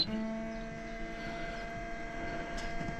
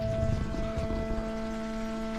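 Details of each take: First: Motorhome fresh-water pump switched on: steady electric hum that keeps running and doesn't cut out; owners plan to adjust the pressure switch. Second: Motorhome fresh water pump after repeated pressure switch adjustment to stop pulsing: steady, even motor hum with no pulsing, then a clean stop; normal operation, though loud and possibly needing cleaning.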